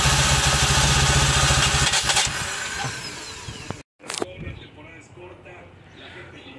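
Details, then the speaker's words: Dodge Journey 2.4, used replacement engine that won't start, cranking during compression test (about 40–50 psi per cylinder): fast, light, even beats with little resistance; low compression suspected from incorrect cam timing shown on CKP/CMP waveforms. "Okay aquí grabamos la sincronía Aquí está el canal en el sensor de admisión en el pin número en el primero cable de la orilla Igual acá y en un cable café en el cable de mero abajo del sensor del cigüeñal okay Estamos viendo que la baja compresión la puede tener por mala sincronía"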